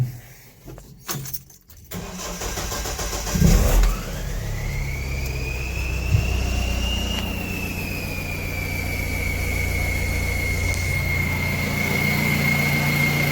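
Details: Mahindra Roxor after fuel filter, oil filter, air filter, oil and transfer case oil service, with the fuel system primed: a short crank, then it fires at once and settles to a smooth, even idle with a faint steady high whine. Normal start and idle.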